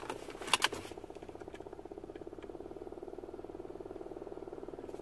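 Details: 2007 Toyota Avalon blower motor under the passenger-side glovebox, running on high: quiet, rapid, steady fluttering ticks with almost no air rush; the failing blower cut in and out, made noise and barely moved air.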